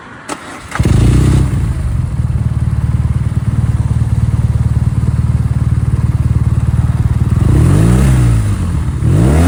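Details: BMW R nineT twin starting and idling with a deep, uneven, lumpy pulse, then two quick throttle blips. The rough idle is unexplained and the owner rejected the bike.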